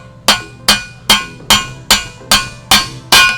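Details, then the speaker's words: Gen 3 Hayabusa single-sided swingarm install: bearing driven in with socket extension and mallet, eight sharp ringing blows about 2.5 per second ending in a hard clank as the bearing bottoms out, fully seated. "All right, that sound right there, that clanking sound, that means that it's bottomed out. We're good to go."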